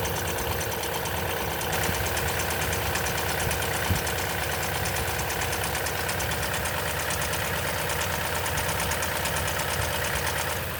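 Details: 2010 Toyota Tundra, 165k miles, 5,500-mile oil changes: cold-start idle with busy, fast chattering rattle over the engine; timing chain noise suspected, unconfirmed.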